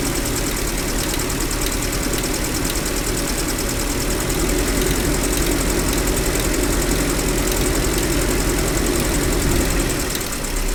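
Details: GAZel Business with UMZ-40216 engine after cylinder head replacement (cracked head): light regular tapping over idle as a pushrod head catches the edge of its hole when fully down; pushrod rubbing on cylinder head hole.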